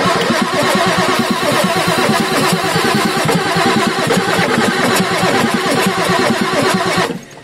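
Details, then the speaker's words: Ford F350 6.9L IDI diesel after injection pump replacement, injector lines tightened after bleeding: long, uneven starter churning with rhythmic compression pulses and no catch, cranking to purge air, then starter rested to cool. "oh okay let me let that starter cool down okay let's see if we can get her started"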